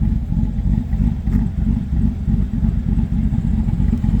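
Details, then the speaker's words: 2013 Chevrolet Silverado, six-speed, BTR stage 2 cam, tuned, muffler removed (three converters): low choppy idle lope about three times a second, no ticking or clatter; normal cammed idle. "she's got a pretty good Lo for uh only a stage two cam with this truck being a six-speed truck"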